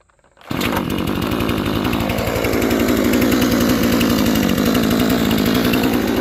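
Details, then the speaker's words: New Proyama 62cc chainsaw just after a start with the choke: it catches almost at once and settles into a steady, even buzzing idle with no stumbling or dying; it cranked up easily and idles normally. "YOU CAN SEE THAT IT CRANKED UP REALLY EASY."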